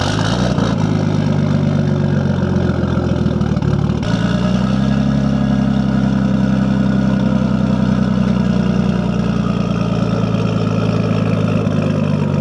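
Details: Nissan S14 with RB20 swap and full 3-inch straight-pipe exhaust, at startup and idle: a loud, deep, steady rumble with an even beat and a small dip near four seconds; a healthy idle.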